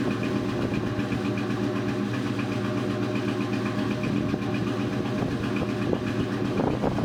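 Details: 2002 Mustang GT V8 idling with an uneven, stumbling beat, one cylinder dropping out now and then. Misfire after a thread insert was installed in cylinder 3.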